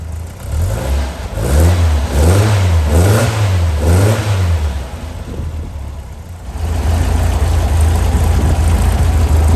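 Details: Brand-new Powerhaus VW 2110cc air-cooled turnkey engine for a 1966 21-window bus, upgraded head, dual 44 carbs, on dyno after first start and valve adjustment; several clean rev blips then steady even idle, no ticking or misses; normal running.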